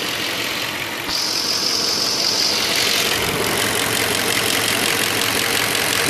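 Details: 2002 Audi A8 quattro 3.7 automatic, hot engine, selector in D or R: light, fairly regular tapping about three per second over idle, gone when driving, no fault codes, present for three years; engine knock at idle in gear, cause unknown.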